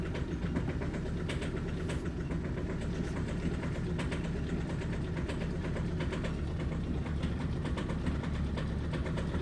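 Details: Audi A3 diesel at cold start idle: uneven idle with irregular stumble and knocky chatter; misfire and rough idle blamed on bad fuel injectors.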